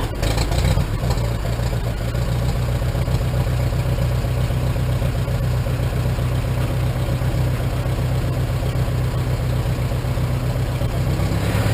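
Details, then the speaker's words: 1947 Farmall M tractor with a Farmhand loader, started after sitting two to three weeks, idling: deep, steady chugging with a loud low thump; owner hears a slight hiccup, maybe a little carbon, but it runs well; normal idle. "seems like it's running pretty good I get some fine-tuning sounds like it's got a slight hiccup it might be just a little bit of a carbon just then"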